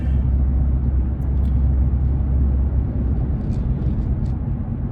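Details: 2015 Nissan Frontier driving on a smooth road after installing new Autoround wheel bearing hub assemblies: only low, even road rumble, no growl or hum rising with speed. Normal wheel bearings.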